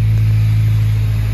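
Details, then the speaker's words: Honda D16Y7 petrol engine after swapping to a D16Y8 intake manifold with JB-welded air injection holes, TPS connector broken: high surging idle around 2,500 rpm; injection holes suspected, unconfirmed. "It wants to idle at 2500, but it's sort of surging. Still way too high, so."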